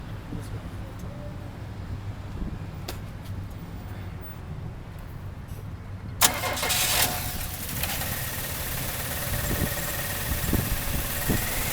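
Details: 1997 Chevrolet Cavalier with P0300 random multiple cylinder misfire: rough, uneven idle with irregular low stumble, caused by a bad ignition control module firing only one coil pack; new coil packs didn't help, replacing the ICM fixed it.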